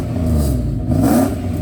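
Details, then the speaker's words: 1995 Mercedes S500 W140 after replacing a possibly clogged, likely original fuel pump: deep, even engine note that climbs and falls briskly on each throttle blip with no stumble or hesitation; throttle response better than ever. "And the throttle response has never been this good."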